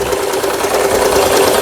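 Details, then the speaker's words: About 25-year-old Lion (Janome Jem) mini sewing machine after repair with parts replaced, stitching satin zigzag overlock edge: fast, even needle chatter without loud noise or binding; sounds healthy. "여기 보시면 이렇게 옷감의 가장자리를 물어 주면서 바는질 했던 기계 아주 소 큰 소음 없이 각종 부품들 모두 교체되서"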